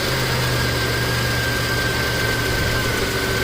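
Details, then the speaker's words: 1989 Buick Reatta 3.8L, previously stalling, hard starting and idling rough despite many new parts. Now it idles steadily and smoothly with no misses or surging, charging at 13.7 V with the A/C engaging; it sounds better. "we'll just let this run and look at this stuff i'll get some people over here uh definitely sounds better"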